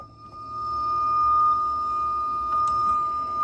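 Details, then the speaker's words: Ideal Logic boiler under 4 years old: high steady whistle over a quiet running hum, occurring intermittently. Venturi/injector debris was suspected but they looked clean; later gas checks found the boiler dangerous. Whistle cause not pinned down. "turn up to this one the fault's a noisy boiler makes a whistling noise intermittently let's see how it goes"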